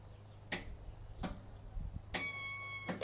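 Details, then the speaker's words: Craftsman riding mower with a Kohler engine and a charged battery: sharp single clicks at the key with a low hum and no cranking; starter suspected seized, not confirmed. "and then you turn your key now if you listen for a second you're either going to hear a click or a"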